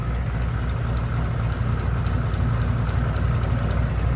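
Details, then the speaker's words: Built Mustang at a steady idle after reassembly: a light, sharp ticking about four per second over the rumble; a stethoscope check found the rest of the engine silent, so the cause is an exhaust header gasket leak. "I just used a stethoscope on the whole motor. Everything's silent. So, it's definitely a header leak."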